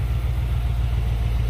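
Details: 1995 Impala SS, LT1 V8, after replacing the purge solenoid, vacuum hoses to the throttle body and valve cover hose: starts and settles into a steady, deep idle with an even low rumble, no hiss or stumble.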